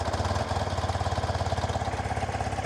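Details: BMW Airhead air-cooled boxer twin idling at about 750 rpm during carb tuning with LM-2 oxygen sensor: even, loping low thump, no misses or ticks; healthy idle.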